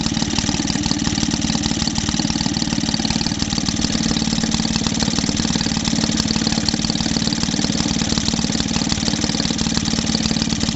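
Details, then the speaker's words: Maytag Model 72D single-cylinder washing machine engine after repair for refusing to start, with a new exhaust cover, running at its best setting: even, steady beat about three firings a second, no misses or knocks; running smoothly. "That sounds pretty happy. Got to try and I think I'll drill through here. Put a bolt all the way through. She's sounding quite happy now."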